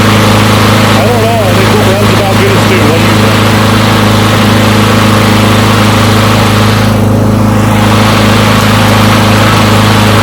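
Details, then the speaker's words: Push mower from a neighbor who said it wouldn't start, run to warm up after long disuse. Small single-cylinder holds a steady, even beat with no misses or surging; runs pretty good; normal running. "well it seems like that runs pretty good"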